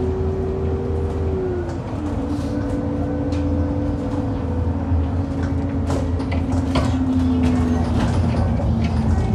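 Bus engine drones under a steady whine, and sharp irregular clunks come through as it drops into potholes, pointing to a suspension knock.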